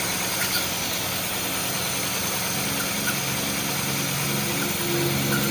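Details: Honda City i-DSI idling unevenly with a faint irregular stumble and rough pulsing, misfiring with white smoke; engine misfire at idle, cause not confirmed.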